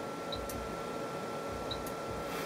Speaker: so pushing the button will just flip it on and back off again I can hear the relay clicking there if I just be quiet and do it again you'll hear it yourself I hope